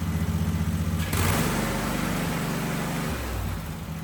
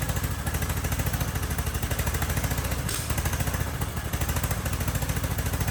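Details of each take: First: Husqvarna riding mower (likely a 2554, barn find) starting after fuel filter change: brief hiss, then catches and settles into a steady regular beat without misses; slightly smoky, possibly from sitting; running properly. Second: Husqvarna riding mower, believed to be a 2554, barn find, airbox and intake manifold off, brake cleaner sprayed into intake: fires and runs a few seconds then dies; runs only on starting spray, gummed carburetor at fault.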